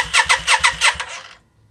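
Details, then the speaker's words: 1992 Yamaha Virago XV535 V-twin just after engine rebuild, fuel primed and float bowl full: about six quick starter pulses, then stops without firing; no spark on either plug, suspected broken wire or bad connection. "She doesn't want to start. I've got no spark on either plug."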